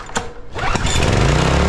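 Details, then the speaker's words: Small outboard motor after a new fuel pump (the old one had a bad diaphragm) and another carb clean: a few pull-start clatters with a little choke, then it catches and holds a steady, even putter without missing. "with that new fuel pump and another carb clean I finally got it dialed in fired up for you guys give it a little choke"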